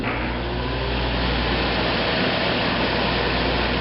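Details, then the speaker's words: Newly installed AC wall unit, tested after sliding into the wall sleeve and before refitting the cover; fan runs first before cooling kicks in; even, steady fan rush and low hum with no rattles, running normally. "initially the fan comes on and it might take a few minutes for it to actually start kicking in to the air."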